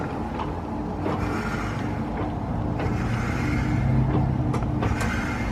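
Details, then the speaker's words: 2022 Ford F-150 Lightning EV pickup, 1,500 miles, creeping at low speed/parking maneuvers: irregular dull clunks roughly every second over low hum, very loud; drivetrain slack suspected, unlike smooth Teslas. "very loud Tesla is buttery smooth all of our other EVS are buttery smooth Ford I don't understand why they can't get it down it's such a such a bummer because especially in parking lot situations where you're you're making micro adjustments in the parking space"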